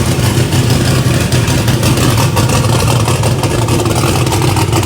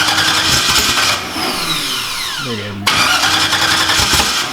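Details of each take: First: Race engine, 13:1 compression iron block, first start after fixing swapped MAP sensor ground and reference wires: loud, deep, choppy steady fast idle with no misses; firing cleanly on all cylinders, normal running. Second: Engine's first start on a new build: fast rhythmic cranking with no firing, then a falling whine as the starter stops; flooded with excess fuel, fuel also in the exhaust.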